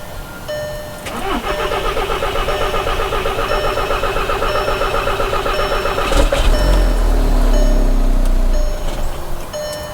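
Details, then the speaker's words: 2011 VW Jetta SportWagen TDI diesel just after replacing the fuel supply pump for a diesel leak and rough running, lines not yet primed: steady cranking, catches with a rumble for a few seconds, then stalls; cause suspected, not confirmed. "okay okay well it's stalled it did start okay"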